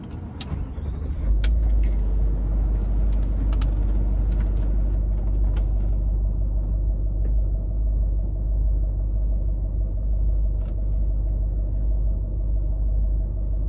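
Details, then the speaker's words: Range Rover L322 TDV8 diesel, cold start after Cataclean fuel injector cleaning for rough idle: steady even low rumble, no stumble or misfire; idle better, normal. "I do believe that's better."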